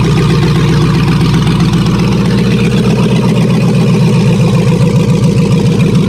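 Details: Bronco II crawler with a newly swapped 2005 5.3 LS V8 and Turbo 350 transmission, cold idle with no exhaust: a loud, deep, steady burble with an even pulse and no ticks or knocks through open manifolds; normal cold idle.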